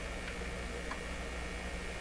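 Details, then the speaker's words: Westinghouse Model 1029 multiband tube radio on a shop supply, B+ near 150 V, just under 25 mA, not its correct speaker: at volume up, a steady low hum with faint hiss and no program audio. The speaker output buzz has an unknown cause. "volume up a little bit of a different buzz this time"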